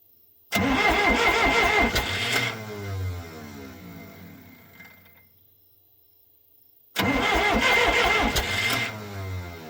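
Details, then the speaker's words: Skidder 440 diesel, owner-rebuilt injection pump, cranked in the dark: two bursts of steady cranking that never catch. Injectors not bled, so air suspected; diesel smell, owner also unsure of pump timing. Crank, no start. "I never bled the injectors, so that's, you know, probably a lot of air in it. But I smell diesel."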